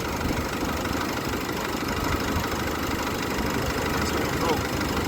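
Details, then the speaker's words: Comparison Nissan Navara with the same 2.5 L YD25 turbo diesel as the decarbonized 2013 truck: uneven, coarse diesel clatter at idle, noisier and less smooth than the cleaned engine, with less power. Cause not confirmed. "Definitely noisier. Not as smooth. It definitely does not have the power."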